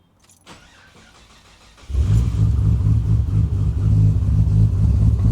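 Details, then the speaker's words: Freshly built 1000HP Ford Barra G6ET engine replacing one with low compression on cylinder 3, cold start, untuned, cams not dialed in: brief crank, fires near two seconds, deep lumpy uneven idle; rough running from untuned cam timing. "this is new engine E85 cold start untuned Cam's not dialed in she sounds"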